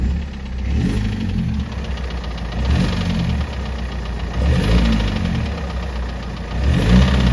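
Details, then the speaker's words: BMW E90 M47 diesel after a custom cone air intake install: rough, uneven knocking that swells with each rev rise, like a dead cylinder, with an odd injection cutout. It sounded like a rod knock, but the rod was later ruled out; cause unclear. "Ça part un peu dans tous les sens, entre l'admission, entre la coupure à l'injection bizarre, le bruit de bielle. C'est pas une bielle."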